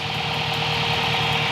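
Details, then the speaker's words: Spal 16-inch electric radiator fan (owner believes 1500–1800 CFM) on turbocharged Toyota Pickup, warm idle after blown fuse replaced: steady, even, extremely loud rushing whoosh, no rattle, far more airflow than the old fan; normal operation. "but now it's working fine very strange but the fan is activated and it is extremely loud and it blows a ton of air way more than the last one"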